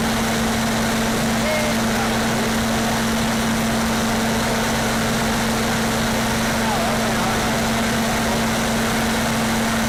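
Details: Standby generator fired up during a pre-storm test, no load and no amperage on it yet: constant mid-pitched drone with steady hum, no surging, knocking or hunting; runs evenly and healthily.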